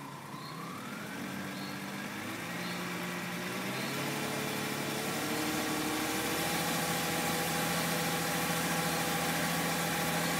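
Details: BMW E46 320iA M54B22, fully warm, ambient at least 20°C. Bright, rapid rattle from front right under load (accelerating, uphill), quieter at standstill in D with throttle and brake. Owner ruled out oil pump and wheel bearing.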